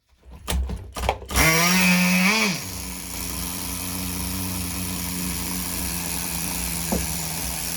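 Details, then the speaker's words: Tamiya TGS-R nitro RC car engine on its second tank of run-in, carburettor at true factory settings from the instructions: brief rev blip, then a high, steady buzzing idle holding even and smooth with no stumbling or hunting. "Freaking Idol King, baby. Listen to that baby go."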